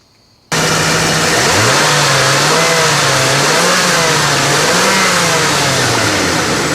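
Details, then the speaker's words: 1995 Ford F-250 4x4 351 V8 running after radiator, hoses, idler pulley and serpentine belt replacement and coolant flush: steady, smooth run with gently wandering low hum, no knocks or squeals; normal. "well this 351 is now puring like a kitten everything's all put back together finally"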